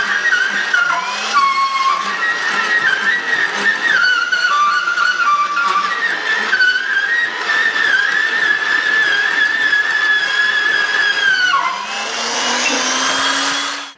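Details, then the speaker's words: Tenon cutter cutting 1 3/4-inch spoke tenon on 10-foot logging wheel: wavering high squeal with creaks, pitch wandering; spoke rubbing on the cutter face. "Všetko to vŕzganie a pískanie, ktoré počujete, pochádza z lúčov, ktoré sa obtierajú o túto tvár."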